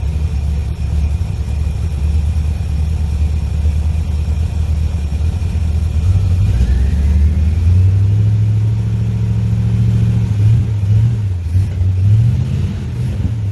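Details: 1963 Chevrolet Impala after long storage, first run after clearing fuel line; deep uneven stumbling rumble at idle, running on about five cylinders; owner suspects bad gas or spark plugs; engine misfire.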